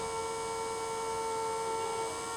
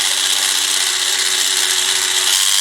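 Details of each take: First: Old 12-volt bilge pump motor run on a bench supply at about 12 V, drawing a little over half an amp (about 7 W): steady even mid-pitched whine, no rattles or speed hunting; runs healthy. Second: Scale-model giant robot drive with a 12 V bilge-pump motor on 12 V, graphite in the gear holes: steady high rasping whir with light ratcheting buzz until cut off; new gears feel tight, should loosen after running.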